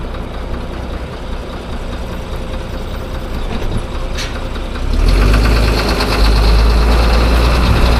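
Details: Diesel engine at idle: sharp, even clatter of about four raps a second riding on the rumble, attributed to failing fuel injector knock.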